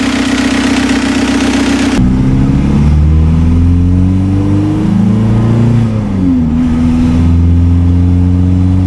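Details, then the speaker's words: TDI diesel swapped into a Toyota pickup, first start after oil system repair with an oil pressure gauge connected: fires, revs rise and fall, light uneven top-end tick over the clatter like a lifter despite new lifters; cold-start ticking. "it sounds exactly like a lifter and i don't know what else would cause a lifter tick"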